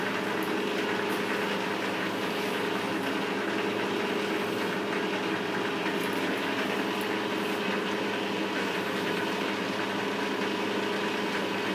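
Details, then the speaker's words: Lathe after new spindle bearings fitted and adjusted, on slow pulley, low range one at 170 RPM: steady, even hum, constant low tone, no knocks or grinding; normal spindle run-in. "okay we're on slow pulley so we're on low uh one so 170 RPM we'll just give it a run for a while at this speed"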